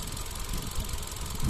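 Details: Hyundai Accent, Kappa engine, manual transmission: short idle with uneven low thumps and occasional heavier stumble, a cylinder dropping out now and then; rough idle with misfire, cause suspected, not confirmed.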